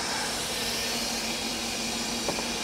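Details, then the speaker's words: Car with a constant airy hiss over a quiet engine and no acceleration, no check engine light; it sounds like a vacuum leak, but spraying and a smoke test found no leaks. Cause unknown, fuel questioned. "I have done all I can for this car I've sprayed all in here there are no leaks it sounds like there's a leak there are no leaks I did a smoke test no leaks"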